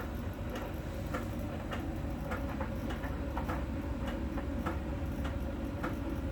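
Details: Miele dryer during drying: a steady tumbling hum with a light, evenly spaced tick roughly every half second, one per drum turn. A small ball sensor contacts a spot on the drum's outer surface; this is normal sensor ticking.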